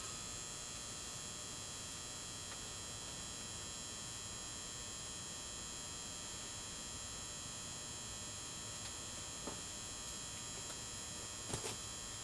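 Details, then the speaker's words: New-old-stock 400 W pulse-start metal halide (metal vapour) high bay lantern, likely mid-late 1990s, never installed, first ignition: faint steady ballast hum with thin high whine; light starts bluish-green then brightens; normal ballast hum. "It has that characteristic hum of the ballast, but it's not loud, but you can hear it faintly in this motion picture."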